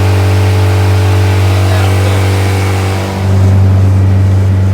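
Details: Viking engine in a CH-750 aircraft, normal run-up after restart: steady deep drone with a firm pulse, brief dip near three seconds, even pickup; alternator charging, everything working; earlier problem was simply the alternator not turned on.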